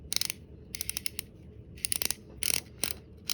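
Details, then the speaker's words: Fishing reel during service and reassembly (opening names an Ambassador 5500C, title a Shimano Sienna 4000R): the stretched drag clicker wire clip was squeezed down and reinserted, so its spring ends strike the part and give crisp, rapid clicks as it rotates. Drag clicker now working. "now those little ends of the spring are hitting on this piece right here so that as it rotates it will now make the clicking sound"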